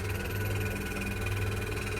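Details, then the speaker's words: Pedestal (farrata) fan on 220 V at high speed: loud low hum with rapid rough kach-kach clattering knock from a dry rear bearing; owner warns the coil will fail if it keeps running like this; dry bearing knocking. "देखिए दोस्तों आवाज देखिए इसकी तो यहां पर दोस्तों ये जो पंखा है बहुत ही ज्यादा कच कच की आवाज कर रहा है।"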